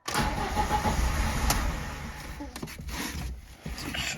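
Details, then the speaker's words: VAZ 2109 (1.5 L, injected) that suddenly stopped starting; after clearing error P0336 (crankshaft sensor), cranking gives a few ragged firing puffs that don't hold, engine just beginning to catch; earlier rail pressure absent, module regulator and pressure regulator replaced. "щось починає хватати Ну вже якийсь хоть якийсь признак є"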